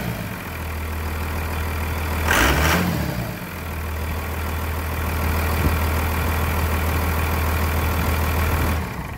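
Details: 1999 Cummins diesel after a new Thoroughbred Diesel injection pump, injector lines bled, on a frigid winter day; steady, even idle clatter with one brief blip and no misses or knocks, idling normally.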